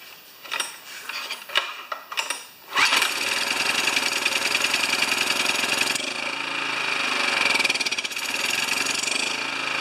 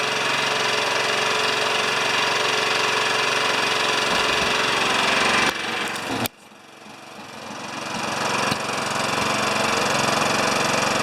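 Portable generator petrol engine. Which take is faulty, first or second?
second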